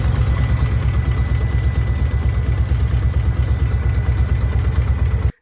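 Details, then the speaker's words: 1990 Nissan 240SX hatchback, KA24E engine, before repair: deep, uneven, lumpy idle with the engine and hood shaking; ECU code 45 injector leak, caused by bad injector seals and fixed by replacing the seals. "you can tell on the video the whole engine is shaking my hood is shaking and when you sit inside the chassis like inside the car like it's very very shaky"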